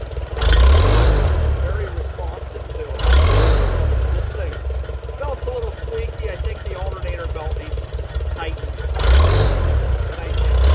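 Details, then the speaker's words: Antique Farmall tractor idling evenly, started beforehand to warm up on an 80-degree day, with a few clean throttle blips that rise and settle. It was also run the day before. Normal idle. "started before the video to get it warmed up that's a cool start on about an 80 degree day"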